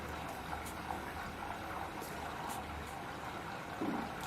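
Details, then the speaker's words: Samsung 8 kg front-load Eco Bubble washer, three years old, baby care cycle just started: soft steady trickle of water into the drum with faint low hum, no knocks or grinding; normal fill. "And now, as you can hear, the machine is, it's taking in water. You can hear those sounds."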